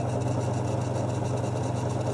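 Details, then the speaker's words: Victron MultiPlus-II 12/3000 inverter on 600 Ah lithium running a 2 kW wallpaper steamer at 50 Hz: low hum with knocking and fine rattle, fan running; owner suspects 50 Hz electromagnetic interference with the fan. "but I think there's two separate noises. There's the kind of knocking noise and the tiny rattle."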